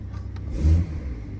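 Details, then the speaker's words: 2019 BMW 540i G30 with MHD stage 1 tune, not yet warmed up, just after a DIY spark plug change: a short, clean rev under light throttle swells and falls back to a steady low idle with no stumble or delay. Normal throttle response. "yeah that's like I mean I kid you not like I'm barely touching the throttle on this there's like no delay"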